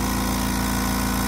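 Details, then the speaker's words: Kobalt Quiet Tech 4.3-gallon air compressor, motor refitted after capacitor replacement for hard starting: fast even pumping drone, steady pulse, no hiss or bogging, quiet; builds pressure and cuts off normally. "there I mean you can hear how quiet this thing is I love it"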